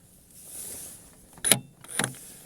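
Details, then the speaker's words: Lada Vesta SW Cross tailgate lock, which sticks in frost because the thick factory grease freezes the latch spring, shown before silicone spray; two sharp metallic snaps about half a second apart as the latch catches and releases cleanly, working normally. "сейчас видим всё срабатывает замок-защелка у нас фиксатор это защелкивается когда нажимаем на кнопку он ее оттягивает in отскакивает"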